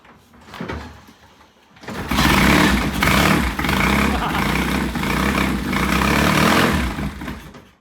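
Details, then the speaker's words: Vintage British motorcycle, cold start after sitting two days; it has no choke, so the carburetor is tickled heavily with fuel and ignition on. It kick-starts on the first or second kick and settles into a steady idle with a crisp exhaust beat. "Sounds good. Started on the first or second kick."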